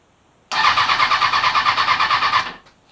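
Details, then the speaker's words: Kawasaki Ninja ZX-636 rebuild, new battery, fresh fuel, tank reconnected, previously ran before sitting: starter cranks in a quick even chug with no firing and no fuel pump priming; suspected fuel pump connector fault. "let's give it a crank turn it on I am a little concerned I don't hear the fuel pump priming"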